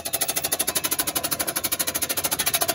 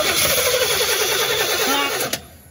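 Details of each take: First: 1987 Chevy C10 that sat about 15 years, first crank on a jumped battery: quick, even starter cranking for about four seconds with no binding or stalling; engine cranks freely, not seized. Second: 1987 Chevy C10 that sat about 15 years, cranked on starting fluid sprayed in the throttle body: steady cranking, one weak catch, then it dies; turns over but won't run, no fuel coming through, fuel tank switch suggested.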